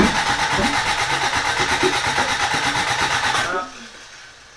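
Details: Toyota Corolla being reassembled, cranking on fresh gas: fast uneven cranking chug with sharp pops, never catches, then dies away; flames out the exhaust, no timing mark on timing light, distributor timing suspected 180 degrees out.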